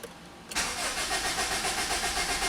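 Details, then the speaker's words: 2003 Honda Civic EX after steering lock assembly replacement with new immobilizer and new keys: starter cranks steadily but the engine never catches, immobilizer light flashing; crank no start, key not yet programmed. "Now, it's not going to start. You can see the immobilizer key flashing."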